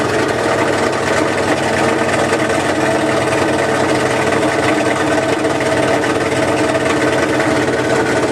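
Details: 1978 GMC K25 V8 at first start in years: steady but rough idle with loud raspy chuffing exhaust note; the exhaust itself is partly to blame.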